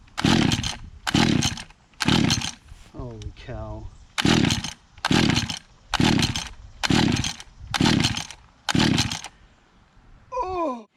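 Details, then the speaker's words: Small pull-start engine unused six months, choke position uncertain: about nine rasping pulls a second apart with faint brief catches, not running. The owner believes it flooded with a wet spark plug, and it started after sitting and repeated pulls. "i think i flooded in the beginning and the spark plug was wet"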